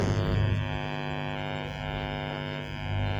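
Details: TDA7294 IC amplifier board with a fault where sound comes when the board is touched, one of its two sections faulty, cause not found after a full day: steady low mains-type hum with fluttering bass dipping and swelling unevenly; intermittent bass dropout, loose connection suspected.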